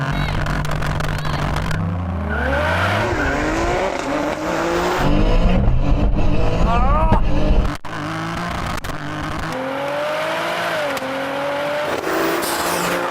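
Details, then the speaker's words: Tuned 630 hp GR Yaris with built engine and 7-speed sequential gearbox at full-throttle drag launch: pulls hard but stutters, pops and bangs on every shift, missing in all gears; slack gearbox cable affecting shifts; misfire on gearshifts. "Missing in all gears now, it's just popping and banging everywhere. That was a big cutty spluttery run, that one."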